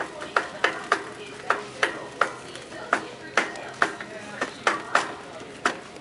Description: I got this janky shopping cart at Kroger that had a broken wheel bearing, and it was hella' annoying going through the store with it.